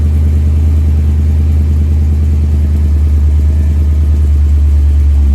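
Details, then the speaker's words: Hearse first startup in a year with newly finished exhaust and tailpipes: deep steady throaty lope at idle, no knocks or rattles, through new mufflers not yet broken in; healthy. "And it sounds good. She's got some rumble to her."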